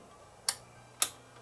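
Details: Onkyo two-channel stereo receiver with no-sound fault, being powered up: two crisp clicks about half a second apart as the speaker protection relay pulls in normally without chatter; a chip heats rapidly, deemed shot, not repaired.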